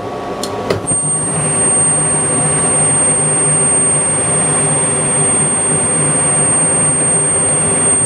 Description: This is a video of a furnace in operation that makes a whistling sound when the burners light.